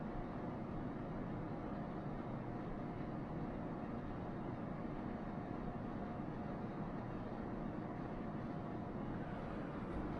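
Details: RV bedroom rooftop air conditioner/heat pump fan with WackO silencer fitted, about 4–5 dB quieter: steady smooth fan rush with faint constant hum, no rattle or squeal; normal A/C fan run.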